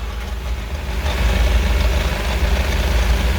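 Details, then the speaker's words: BMW M5 F10 V8 with 92k km, after check-up (spark plugs gapped, adaptations reset, intercooler washed, oil changed): steady low idle, even deep burble, no ticks, knocks or misses; engine sounds healthy, no leaks found. "Let's hear the sound a little bit. Looking good, looking good."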